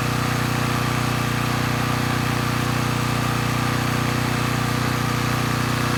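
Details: Coleman Powermate Pulse 1850 generator (PM0401850, 1996 engine 93412-0136-01) after carburetor repair, unloaded in driveway, speed set toward 61.5–62 Hz; smooth even drone at constant speed, no misses, surging or knocks, normal running; a drip suggests the needle passes extra fuel.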